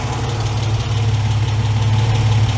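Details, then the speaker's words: Ford Capri Mk1 3.0 GXL, Essex V6, manual, carburettor, after 8 years sitting, first run, choke just pushed off, not yet warm; deep steady idle with no knocks or misses, slight splutter that may clear as it warms; runs nicely. "all good do you know she runs quite nicely for a car that's been sitting so long well that's off the choke superb there's a slight splutter there it might come around as it warms up"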